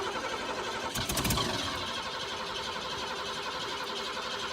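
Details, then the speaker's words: Neglected Ford F-150 sitting about ten years with old gas, cranked with throttle open on carb cleaner: quick sputtering burst of firing that dies at once; runs only on the spray, fuel starvation suspected, fuel line to be checked. "all right well least we're getting some life out of it that's not bad"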